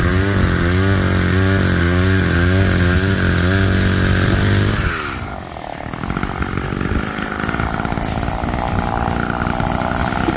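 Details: Roadside-found Homelite chainsaw after carburetor rework, cold-started after sitting, cutting wood in wind: high rev, then pitch drops and steadies as the chain bites, pulling strongly. Chain oiled; owner suspects it runs a little rich, bogging in larger logs then coming back.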